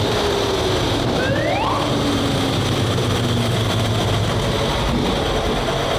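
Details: WWII tank radial petrol engine, turned over 55 turns by hand first, started on both magnetos with starter and booster coil: loud, steady, rough roar with a distinctive note, running evenly after catching; normal healthy running.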